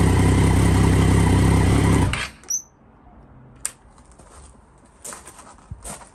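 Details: 2009 Triumph Daytona 675 triple, crash-damaged salvage bike under rebuild, run up in neutral: steady, even engine note with a quick regular beat for about two seconds, then a clean cut-off; sounds healthy, normal running.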